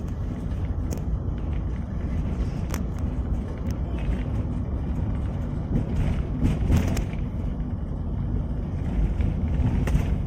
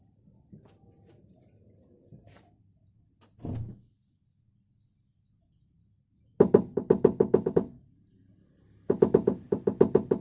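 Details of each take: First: Toyota Avanza rear underbody on rough, wavy road after replacing the exhaust hanger rubber that caused rear knocking: steady road rumble with only light scattered ticks, no repeated knocking; normal. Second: Toyota Avanza, rear cabin knocking on uneven roads, simulated with rear door closed: two bursts of quick hollow knocks from under the rear as the loose exhaust clatters against its worn, stretched rubber hanger.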